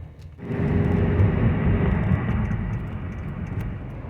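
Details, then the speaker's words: 2005 Buick LaCrosse, GM 3800 3.8 V6, after new spark plugs and wires fixed an intermittent P0300 misfire in wet weather, accelerating onto highway: strong, steady drone under load, no stumble; pulls cleanly, far better than before. "Let's test out the acceleration on this thing just getting turned onto the highway here"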